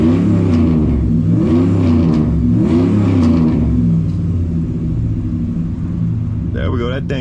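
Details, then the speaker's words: 2003 Dodge Ram 1500 Hemi V8 with 426,294 miles, after reinstalling the cleaned original throttle body: revs rise and fall in rough stumbling surges as it clears; engine was flooded with fuel, a clicking also noticed near cylinder one. "That thing was loaded up. Man, that thing was loaded up, dude."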